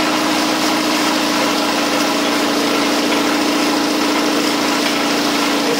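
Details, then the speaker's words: New Campbell Hausfeld 20 gal twin-cylinder air compressor (135 psi) at setup and break-in, regulator off, building tank pressure: steady mid-pitched hum with even pumping chatter, relatively quiet, running normally. "seems relatively quiet i've got the regulator turned off so it's just building up treasure"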